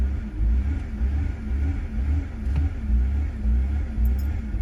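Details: 2003 BMW 325i that ran fine until sitting 6 months: deep idle surging and dipping roughly twice a second, after earlier stalling with no codes; ICV cleaned and fuel pump, fuel filter, camshaft sensors and crank sensor replaced without fixing it.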